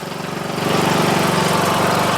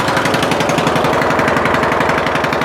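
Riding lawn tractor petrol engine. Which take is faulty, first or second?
second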